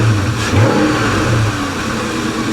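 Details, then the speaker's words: Salvage auction car with no brake pedal and hydro-boost brakes: a deep, even exhaust rumble rising smoothly on revs and settling back, sounds nice and not too loud, no knocks or rattles. "listen to this it's got a nice little rumble to it sounds nice not too loud"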